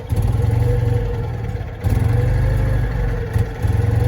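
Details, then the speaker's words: Citroen 2CV with dirty single-barrel carburettor, moved onto flat ground: low twin-cylinder idle that keeps sagging and stumbling, dipping twice as if about to stall. It idles fine uphill; a faulty carburettor is suspected. "okay it's on the flat it doesn't want to idle it doesn't want to idle"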